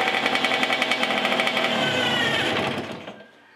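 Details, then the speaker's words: Cagiva Freccia C12R two-stroke, first restart after engine rebuild with a little choke: rapid crackling beat holds high then sags slowly after throttle closes; slow return to idle, cause not yet confirmed. "Alors, j'ai trouvé qu'elle collait un petit peu dans les tours, c'est-à-dire qu'elle mettait un petit peu de temps à redescendre en régime"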